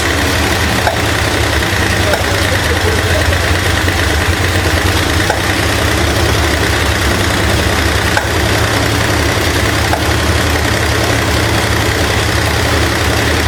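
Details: 1968 Ford LTD V8, abandoned car, restarted after intake and water pump work: loud uneven idle with steady top-end chatter, rough pulsing and popping back through carburetor; dislodged pushrod, possibly loose timing chain jumping time suspected; valvetrain misfire with carburetor backfire.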